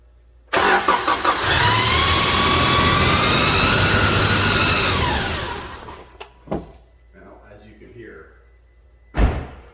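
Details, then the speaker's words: 2007 Toyota 2.7 engine after reinstall, run briefly with no oil in it: thin high whine over the engine, rising with revs; still present without oil, so not oil pump related; timing gear or chain suspected, unconfirmed. "noise is still present without any oil in the engine so i don't think it's oil prop related i believe it to be timing gear timing chain related"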